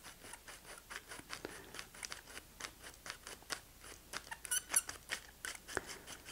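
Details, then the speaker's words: Film developing reel being loaded with film: rapid, uneven high squeaks with each small rocking push as the stiff, tight reel binds and jams; pulling outward to reduce pressure helps. "if your reel turns out to be uh squeaky and tight and it's not behaving itself"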